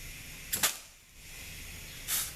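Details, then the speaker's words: ZF 6HP26 transmission from a Jaguar, on the bench before valve body and pan fitted after overhaul; air check of A and E clutch packs. Short sharp air hiss bursts, clean with no lingering leak: clutch packs seal normally. "so this is going to check our A and E clutch packs okay that sounds good"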